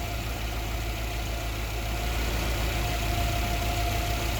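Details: Yale GLC050 forklift, Mazda F2 throttle-body injected engine, computer now compensating for lean-at-idle code 522: steady even idle hum with faint fixed tone, no misses; normal idle.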